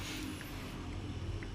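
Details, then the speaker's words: Freezer compressor that previously clicked repeatedly, ran hot and drew about 8 A without cooling, after repair: low steady hum with no clicking or cutting out, now drawing about 1.17 A against 1.2 A nameplate; normal compressor running. "sudah nyala teman-teman ya artinya mesin kompresor sudah jalan"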